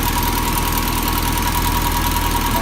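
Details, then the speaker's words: 1979 Toyota Corolla SR5 (TE37) before a tune-up, starting rough and not running smoothly: low, pulsing, slightly uneven idle; fouled spark plugs and rich mixture, addressed by new plugs, cables, cap and rotor. "so the car needs a tune-up because it starts off pretty rough and it doesn't run as smooth as I like"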